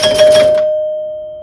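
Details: 1974 Williams Strato Flite electromechanical pinball machine during restoration, game started and a target hit: single clear bell strike rings and decays cleanly over a second; scoring chime working normally.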